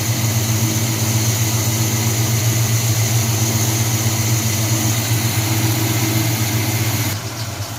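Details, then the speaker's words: 1978 Chevy C10 350 V8 after new Edelbrock intake, water pump, belts, thermostat, hoses and valve covers, carburetor still untrusted: deep steady idle with even beat, no stumbles or misses; smooth and healthy, much better than before. "Man, that thing's purring like a kitten now. So much better than it used to be."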